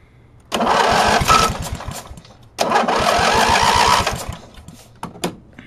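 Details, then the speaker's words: Briggs & Stratton opposed twin after a fuel pump kit: it starts with no choke in two short runs, with a quick, even chuffing beat, and pulls steady and clean. It is running much better, though it still needs a tune-up, and the battery is low. "there you go as you can see it still needs a little bit of a tune-up"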